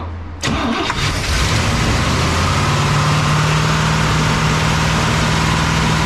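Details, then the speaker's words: A 1961 Cadillac V8 is just idling again after its carburetor was adjusted. It holds a loping, uneven idle with a faint steady hum, and sounds like it is missing on a cylinder. The cause is suspected but not confirmed. "like to know what that noise is too I don't know what it is sounds like it's missing"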